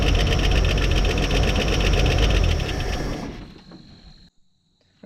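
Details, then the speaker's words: Abandoned 1957 Chevrolet V8 after sitting 47 years, original points, cap, wires, rotor, coil and plugs (cleaned, gapped), new oil, electric fuel pump priming carb: steady even lope, no misses or knocking, then winds down; normal idle. "look at that it cranked right up and idled with no work didn't even have to adjust the carburetor"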